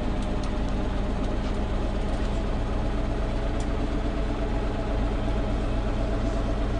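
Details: Preserved GM Buses MCW Metrobus Mk1 5120 (SND 120X) diesel, 2012 running day: deep idle with uneven, lumpy wavering beat that won't settle; known idling problems, bad diff, sometimes won't engage third gear; rough idle, cause unclear.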